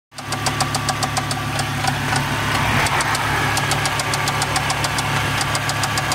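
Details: Volvo 850 T-5R petrol engine with Eagle H-beam rods and ARP hardware, running: sharp metallic knocks about three or four a second, a bad rod knock that developed after drag racing.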